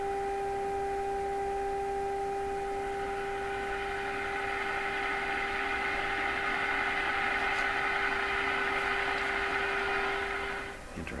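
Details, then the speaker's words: Stromberg Carlson 561 tube radio fed a 400 Hz signal-generator tone, before the last two wax capacitors are replaced: at stronger signal the tone carries a rough, hard-edged buzz instead of sounding pure, so the audio output is distorted. "we're a stronger signal sounds a little hard edged to me sound doesn't sound pure"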